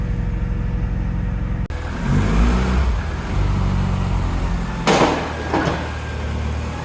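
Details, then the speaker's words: Japanese-import Alfa Romeo 145 Cloverleaf, just started: steady idle then crisp throttle blips settling cleanly, no variator rattle, no dashboard warning lights; engine sounds healthy (burning-oil smell noticed after a couple of minutes' running). "Engine sounds good with no variator rattle. No warning lights on the dashboard."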